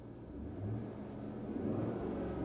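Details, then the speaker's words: Cadillac Escalade V8 after cylinder head reinstallation, heard from inside the cabin: smooth, even idle with a soft exhaust burble and slight rev rise, 33 psi oil pressure at idle, no overheating; engine sounds healthy. "as for the engine man everything is like freaking mint with the engine it sounds incredible even the exhaust has a little bit of a burble to it"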